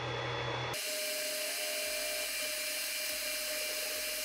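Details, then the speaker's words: Creality Ender 5 Plus 3D printer after upgrading to the v2.2.1 silent mainboard, axes moving during bed leveling: soft steady whir with a faint constant tone, very quiet stepper motion; power supply fans not yet replaced. "let's go three that is so quiet and we just got to change out those fans on the power supply and stuff"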